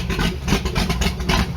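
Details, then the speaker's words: Allmand SuperNova boat engine, first run after sitting, with cobwebs to clear and timing not yet set: a lumpy, even burble with steady throttle blips, pulling cleanly after kicking over easily. Normal running. "Beezy sounds just like this because it's got the same exact motor. She's got some cobwebs to get out, and then on top of that, I gotta get the timing set"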